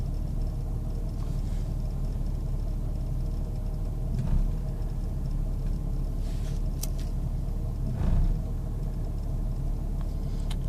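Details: 1998 Jeep Grand Cherokee Laredo at idle: low, uneven rumble with slight dips and surges every few seconds, like it wants to stall; rough idle, cause not found.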